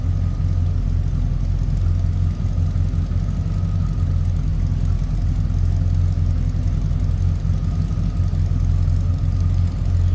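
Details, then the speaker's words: 1974 Lincoln Mark IV, heard from beside the car: a deep, smooth, even V8 idle with a steady low rumble and no knocks or ticks. Normal idle. "Slip around so you can hear this run."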